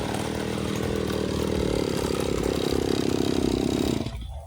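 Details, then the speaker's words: Side-mounted two-stroke brush cutter with nylon line: strong steady buzz holds revs cutting thick grass, no bogging or misfire, then drops off cleanly; healthy under load. "Rumput setebal itu pun masih mudah guys ya, wet gitu ya."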